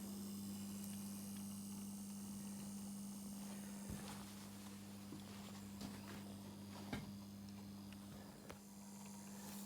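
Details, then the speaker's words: 2019 Lynx Ranger Pro forestry snowmobile, high mileage, newly fitted coolant pre-heater plugged in: quiet steady low hum with faint clicks; pump running smoothly, warmth felt, coolant moving. "We should be able to plug this in now and something should happen. Right. Well, we can hear the pump running."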